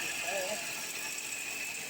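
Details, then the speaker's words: Hyundai Sonata, jump-started after sitting a while, at cold idle: a fast ratcheting rattle with thin squeaks that fades once it idles on; a worn timing belt tensioner and tensioner pulley, which were replaced. "okay so this car has a squeaking noise like a rattling sound noise so it hasn't been cranked up in a while"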